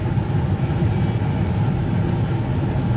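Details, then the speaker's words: Two-stage gas furnace with the manifold pressure being turned down to about 2.0–1.8 in. w.c. (later set to 3.4): a steady, soft burner roar growing quieter, with no flutter. The flame is weak from low gas manifold pressure. "if you notice even the tone of the gas burning has changed you can hear it getting quieter and quieter as we adjust this"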